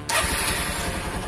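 The starter catches right away and the single settles into an even, steady putter with no misses: a clean, healthy start.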